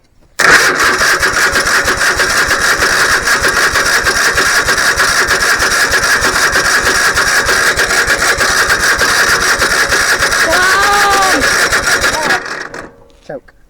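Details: Engine unrun for over 15 years, after refitting the starter and a fuel filter: about twelve seconds of fast, even starter cranking that never catches; cranks but won't start.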